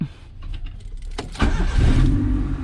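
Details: Honda EF/CRX during 5-pin main relay conversion: quiet, then quick crank catches at once and settles into steady, low, even idle; starts cleanly. Normal start.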